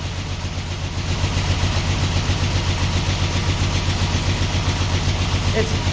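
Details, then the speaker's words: 1949 Ford F1 six, sat 20 years, running on choke with electric fuel pump on: uneven loping idle with about two stumbles a second; definitely missing on one cylinder. "It's definitely missing on one cylinder, but this is good. This is the longest I've had it running in 20 years."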